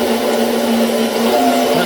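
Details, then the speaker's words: Small £11 pump in a DIY 22-barrel rainwater irrigation system, running dry: a steady loud buzzing hum with a rough whirr and no sound of water. The owner has previously run this pump dry for an hour without it failing or overheating. "That noise is down to the dry pump. I'm not sure how long it will last if I leave it for an hour, but it doesn't overheat, or it doesn't overheat."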